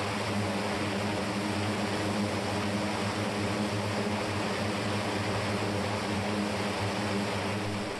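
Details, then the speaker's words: Turbocharged propeller engine run-up after warm-up, with turbo 1 and 2 boost gauges: loud steady drone holds one pitch near 2800 rpm and won't climb. Leaking reduction-drive oil seals are blamed for the low run-up. "right now you know we can run the engine we can't get it up to any higher than 28 and hurry up again because of its not building enough rpm to generate more boost to generate more power"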